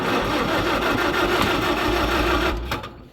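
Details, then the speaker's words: Engine turned over with the starter after draining the carb, choke on, out of gear: steady uneven chugging for seconds with no firing, then stops; over-choked, flooded engine that cranks but won't start. "what did it choke well we flooded it trying to crank it when it was show you what I mean here guys should never choked should never choked it"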